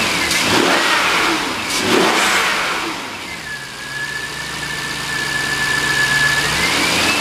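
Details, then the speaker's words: 2003 Jaguar XJ8 V8 with an automatic and 138,000 miles, rear-damaged and being parted out, recorded from a tripod camera: two clean throttle blips rise and fall smoothly, then it returns to an even idle without stumbling. It starts and runs excellently. "as you can hear this car starts and runs excellent"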